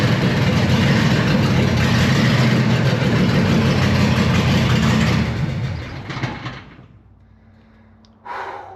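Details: 1970 Dodge Super Bee with a Gen 3 Hemi on Holley Hi-Ram EFI and a TR6060 swap, first start in 25 years in neutral (fuel pressure target 43 psi): a loud, deep V8 fires and settles into a lumpy, even idle for about five seconds, then shuts off; a normal, healthy start.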